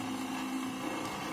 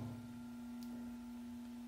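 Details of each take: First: Ventisol electric fan brought in for noise and a blade that would not turn: motor hums at a steady pitch with a rough buzz and no strong air rush; the blade slips loose on its shaft. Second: Ventisol electric fan tested through speeds 1 to 3: steady, clean mid-pitched hum with no rattle or scraping; the motor has no mechanical problem, and the only fault is the missing piece that holds the blade.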